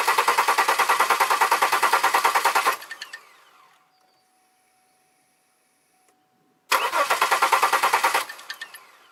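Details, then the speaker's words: 2002 Chevy Malibu, previously suspected fuel leak fixed, cam sensor has power, injectors suspected not firing: starter spins the engine at an even three beats a second, stops, cranks again, never fires; cranks, no start. "no I got no fuel leak but still good to fire"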